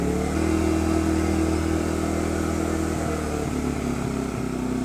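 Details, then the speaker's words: Champion 200961 2500-watt dual-fuel inverter generator on propane, new, eco mode off: steady higher-pitched drone with no surging or misses; normal running at raised speed for extra load. "This will ramp it up and so you can put an extra load on it maybe to get something started."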